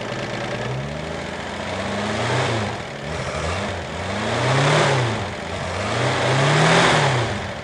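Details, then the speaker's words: Car with Kettering distributor ignition, timing set to 8 degrees, vacuum advance refitted: fires readily, revs rise and fall smoothly with no misfire or pinking. Normal running with correct ignition timing. "as you can hear it makes starting a lot easier when the ignition timing is correct"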